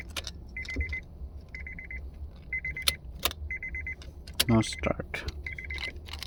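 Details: Key turned with no starter click or cranking, only keys rattling and a repeating high chime of short beeps; no crank, no start, owner suspects a bad ignition switch.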